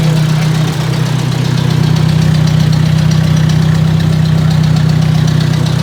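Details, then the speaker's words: Ford 600 tractor after work on the tractor, starting with a little choke: deep, even chugging about three beats a second, smooth with no knocks; healthy idle. "uh got the old trusty fluke and uh let's listen this baby purr and we'll check make sure we get some output voltage"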